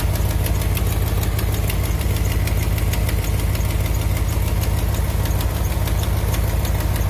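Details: 2001 Dodge Ram 1500 4x4 at idle: sharp, even tick about three times a second over the low rumble, owner pretty sure it leaks right off the back of the exhaust manifold, before the fix; exhaust manifold leak ticking.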